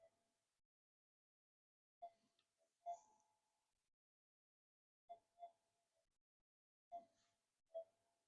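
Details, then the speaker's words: Metal detector after adding a capacitive input bypass mod on audio lines, factory settings, near neighbours' solar installations; mostly silent threshold with a few faint scattered chirps; low residual interference. "That's not too bad for this time of day. I've got solar installations on all the houses around me, and it causes a heap of noise."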